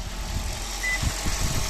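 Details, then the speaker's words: 2012 Toyota Auris Hybrid engine running in maintenance mode after a DIY fix of the engine rattle/shake a garage couldn't cure; low, even engine pulse with no rattle or knock, healthy and steady. "there you have it sweet as a nut sounding great again fantastic"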